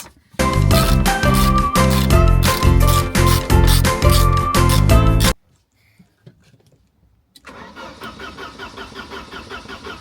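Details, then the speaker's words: Car that ran well after earlier repair work now cranks without starting: after music, the starter turns evenly about three times a second but it never catches. The fuel pump is audible, so the fuel filter is ruled out; cause still unknown. "Oh, You can hear the pump, can't you? so frustrating. So, it's not the fuel filter."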